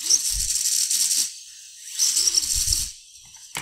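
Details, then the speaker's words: FPV quad motors powered with no props, ESCs and motors heating up, motors stuttering and twitching felt in hand; high crackling buzz in irregular bursts with gaps instead of a smooth whine, yaw twitch/motor stutter fault. "listen to the motor stutter and the you could feel it in your hand when you move it back and forth you can just feel it like it's just stuttering and twitching"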